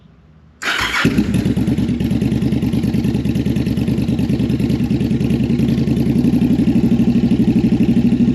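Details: V-twin bobber with a newly fitted Cobra exhaust, cold start before carb sync: engine catches into a lumpy, stumbling idle; front cylinder lean and barely firing, its exhaust port cool while the rear got hot; it fired up once warm.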